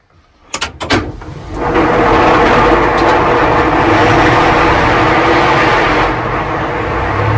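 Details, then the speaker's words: Class 55 Deltic locomotive 55009 with Napier diesel, number 2 engine, started from the cab after pre-lube and fuel rack reset, with the start button held about 3 seconds, onboard mics: clanks, then catches into a loud even roar; clean start. "And now we'll start it from the cab. You okay, Nigel? Yeah? Yeah, I'm good. Yep. Right, number 2 engine though."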